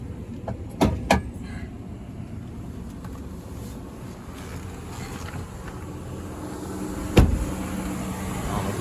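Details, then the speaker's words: 2006 Ram 1500 Mega Cab after repair of its miss, with possible remaining wiring issues: low, quiet, even idle hum under a few door clunks, no stumble, running on all cylinders; normal idle. "can hear it really run it's pretty quiet but it is actually running on all cylinders amazing"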